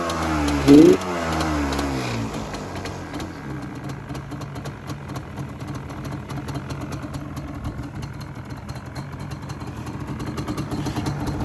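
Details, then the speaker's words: Yamaha Banshee two-stroke quad after a cheap kickstarter rebuild kit: engine blips briefly then settles into a steady burbling idle, the former annoying rattle gone completely. "So I would say that definitely fixed that annoying rattling noise. You can't hear it at all."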